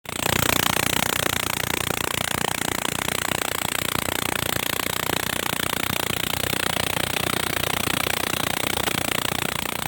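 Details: Diesel locomotive RGE 20 5117 on the Chaman passenger train at Baleli railway station: harsh, hissy clatter at about four beats a second over the idling diesel; abnormal noise at idle, cause unclear.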